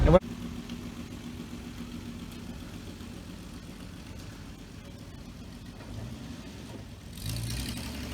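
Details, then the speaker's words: 1966 Dodge Dart GT, Slant Six 225, driving on wet road after resetting ignition timing that had been far advanced (about 20–25° BTDC); low even drone with no misses, pops or stumbles, running much better. "i don't know it's wet that helps out a whole lot but uh yeah it's running much better"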